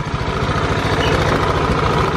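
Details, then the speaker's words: Honda Beat scooter with thick white exhaust smoke, before teardown: engine revving with a coarse rattly drone from the CVT belt-drive side that grows with throttle; abnormal CVT noise, cause unconfirmed. "dan terdengar suara ini sobat Ya sepertinya ada suara-suara yang aneh sepertinya terdengar di bagian CVT ni"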